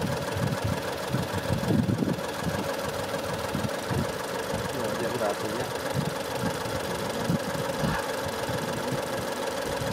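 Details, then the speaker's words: 2017 Ford Escape with code P0304 and over 1,000 misfire counts: a lumpy, shaking idle with uneven thumps as one cylinder misfires, traced to worn spark plugs and a failed ignition coil. "Oh my God so as you can hear the idol is very rough and the engine is shaking so bad Because one of the cylinder is not working properly"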